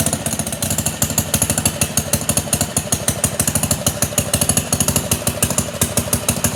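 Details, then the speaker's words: Pond lever-steer tractor, small engine with magneto and no kill switch, just got running: rapid uneven ticking over idle; suspected too-long bolt in the clutch, found to be clutch pressure plate fingers rubbing the bell housing. "he did tell me about that noise he thinks that there's a bolt that's in the clutch that's a little bit too long"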